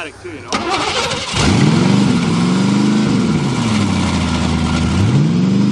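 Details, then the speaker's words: 1986 Mercury Grand Marquis fuel-injected 5.0 V8, first start in five years after fuel pump wires hooked up right: short crank, catches and settles into a steady, smoky idle that rises and dips slightly but keeps running. "yeah cheffy definitely sounds better - enough corn now the brakes feel"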